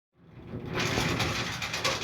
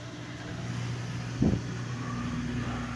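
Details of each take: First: Whirlpool Duet Sport washer not draining: harsh, rattling grind holding steady while the drain pump runs, a worn pump, fixed by drain cleanout and pump replacement. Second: Whirlpool Duet Sport washer, previously grinding and not draining, after drain cleanout and pump replacement: a low, steady drain-and-spin hum with one soft thump and no grinding or rattling, running smooth and healthy.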